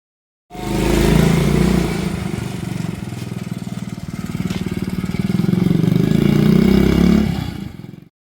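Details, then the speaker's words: 1971 Honda CT70 after sitting for years, first start with fresh gas before restoration: small single-cylinder settles into a steady, even putter with no misses or knocks; running normally. "Right over. I am 100% satisfied. We have accomplished the goal and the bike is starting up."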